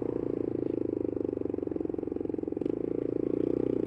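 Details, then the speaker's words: Motorcycle idling with a sharp, rapid, raspy chuff at every firing pulse: exhaust blowing past a failed exhaust gasket. One exhaust bolt is believed snapped with half still in place. A new gasket, and probably re-drilling the hole, is booked. "hopefully on Wednesday I'll be able to put a video up without this noise which is both good and bad because like I said it shouldn't sound like this it's not good thing that it does"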